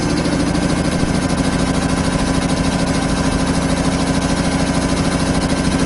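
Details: 25 hp single-phase air compressor, loaded with a valve open bleeding the 120-gallon tank from 150 toward 100 psi: steady, even pumping about three beats a second; normal loaded running.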